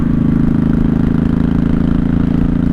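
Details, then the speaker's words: 1983 Honda Shadow VT750C with straight pipe, owner thinks it's been jetted: deep even V-twin rumble, steady lumpy beat, no misses, stumbles or dead spots; runs great, normal running. "Has that straight pipe on it, but it sounds like it's been jetted. And the reason I think it's been jetted is there's no dead spots."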